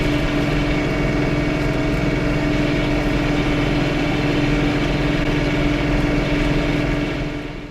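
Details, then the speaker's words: John Deere 3 Series tractor running a snowblower attachment, first snow of 2020–21: steady engine drone with buzzy rattle shifting with rpm; U-joints greased, auger bearings replaced; owner suspects a snowblower bearing, mount pins, or worn chain/sprockets. "i hope you can hear the vibration noise that i'm that as a snowblower is running the u-joints are grease the the auger bearings are replaced i don't know if that's a bearing within the snow blower mechanism or rattling of the the mount pins for the snowblower that drive me crazy"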